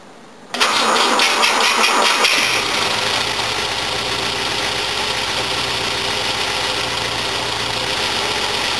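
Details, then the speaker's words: Old Volvo with fuel injection, cold start: brief crank, a noisy fuel pump, catches almost at once, flares up then settles into an even, steady idle with no miss or knock; compression sounds present on all cylinders. "Yeah, it still runs. Started pretty quick, it still sounds like it's got compression on all cylinders."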